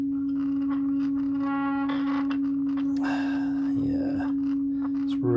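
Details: Rogers LS3/5a woofer from a badly overdriven speaker, steady low test tone: rough buzzy output with gritty distortion; spider, surround and cone look fine; voice coil suspected overheated, lamination cooked and full of muck.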